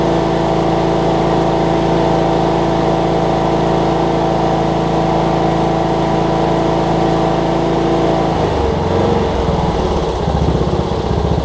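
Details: Cub Cadet riding mower, Kohler Courage single-cylinder engine, just after HIPA carb kit replaced a carb that leaked all its gas out: steady even thrum, note changing near the end as throttle shifts; normal running.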